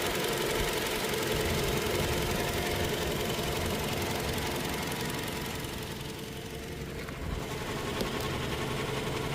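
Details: Toyota Hilux diesel engine at steady idle, in a workshop noise diagnosis: a regular light knock about 220 a minute rides over the idle; knocking present, cause not pinned down.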